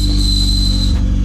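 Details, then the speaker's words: 1990 Honda CRX Si DOHC ZC engine running with transmission: high steady squeal over engine drone, stopping with engine; suspected clutch release bearing, transmission removed. "oh there's that squeak oh it's probably like a release bearing in maybe I don't know what that is"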